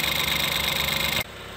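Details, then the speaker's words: Normal idle on a 2013-2016 Ford Escape 1.6L with 160,000 miles, just after valve cover and gasket replacement and new iridium spark plugs: brief, smooth, even hum with no misfire or tapping, noticeably smoother than before. "so anyways sounding real good and uh this looks gonna do it"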